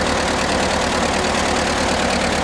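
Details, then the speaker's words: Amphibious Ford tractor running a Sherman transmission, idling with choke needed: uneven stumbling low idle that sags as if about to stall, from a carburetor not yet tuned; governor seems mostly working. "Yeah, she's wanting to die. That carburetor isn't quite tuned up right."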